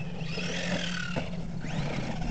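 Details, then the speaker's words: HPI Maverick Quantum Flux MT 4x4 RC truck on its first run, 15-tooth pinion: a whirring whine rises and falls with throttle over the motor hum; owner suspects the pinion-to-spur gear mesh is too tight. "She's a little nose heavy. She just doesn't sound right to me,"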